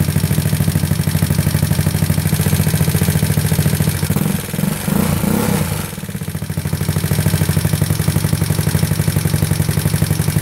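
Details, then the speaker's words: GY6 157QMJ bored to 61mm, A9 cam, PD24J carb with 35 pilot/108 main jets, free-flow exhaust, cold start on automatic choke: steady quick single-cylinder idle with brief dip midway; normal warm-up. "these autos don't really are pretty crappy a manual choke is the best way to go so now I got to wait for it to level out"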